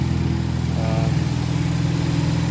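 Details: Ford Focus ST first startup after ATP Garrett Gen2 GTX2867R turbo upgrade with homemade intake: steady, even idle with smooth low drone, running pretty good with no apparent exhaust leak.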